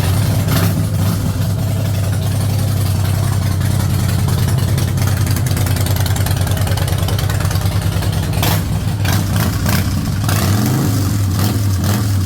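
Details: 2008 Harley-Davidson Rocker C V-twin after its stuck, non-running fuel pump was freed and a new fuel filter fitted: catches and settles into a steady, even loping idle with a deep low rumble, no misses; normal start and idle.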